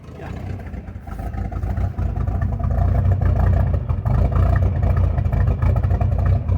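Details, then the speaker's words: Carbureted engine just started, revving rough and uneven with lumpy low-end rumble and no crisp pickup; strong gas smell, running very rich, carburetor to be adjusted. "I'm getting a lot of gas smell. It smells like it's running very rich. So we're going to adjust on that carburetor, and"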